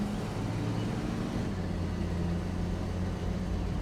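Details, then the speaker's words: 1967 Mustang on a test drive after a new timing chain install: a deep, even engine pull under acceleration with the earlier belt squeal gone, charging at 14 volts; it sounds healthy under load. "Oh yeah. Not hearing the belt squeal anymore. That's good. And she seems to be accelerating when I give her"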